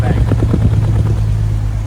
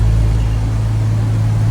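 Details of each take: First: Jaguar XJS V12 running at idle, lumpy uneven exhaust chuff, missing badly on one bank from a bad fuel injector, before injector replacement. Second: 1990 Jaguar XJS V12 with dead fuel injectors, heard at the exhaust before injector replacement: a smooth, deep, even rumble with no missing beats; this bank fires cleanly, while the left-hand bank misses badly.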